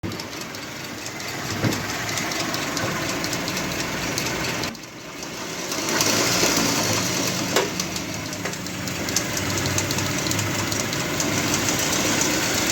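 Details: Engine runs rough and uneven with an irregular knock of about three or four a second that rises and falls with throttle; cause unclear.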